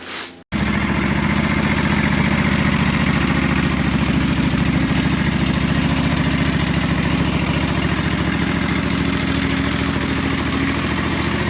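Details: John Deere 425 mower with coolant leak and broken choke cable, weak battery: engine catches after short crank and runs with uneven lumpy beat about three pulses a second; rough running, cause unclear.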